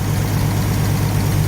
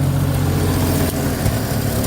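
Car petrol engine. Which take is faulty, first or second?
second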